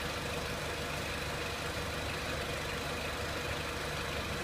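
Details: 2003 Renault Clio 1.6 petrol, intermittent stalling traced to loose crank sensor connector (sensor good), crank sensor scope reading good; steady even idle with constant hiss, no knocks, misses or hunting; normal idle.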